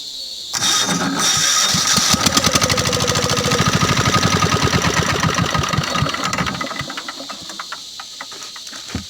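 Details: 186F single-cylinder diesel with retrofitted electric starter wired to key switch, starter motor and battery; starter spins briefly, engine catches within a second into a fast, even single-cylinder chug: healthy electric start.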